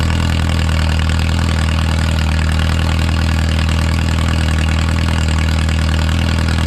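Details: Original early-1950s engine of a Renault 4CV (car a 1952; engine failed early 1950s with cracked block, weld-repaired), reassembled and run for the first time in ~70 years, warm: steady even idle with smooth low beat, no misses or knocks, barely smoking; normal idle.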